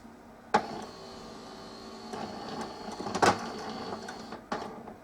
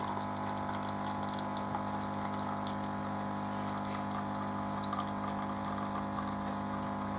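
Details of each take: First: Melitta Caffeo CI coffee machine, heats but no rinse: steady low pump buzz with sporadic clicks and clunks, no gurgle of flowing water; owner suspects no pressure builds in the system, Start System light keeps returning; pump runs but delivers no water. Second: Melitta Caffeo CI coffee machine after repair (it had been humming without pouring coffee); smooth constant pump hum with a trickle of coffee pouring: normal pump operation while brewing.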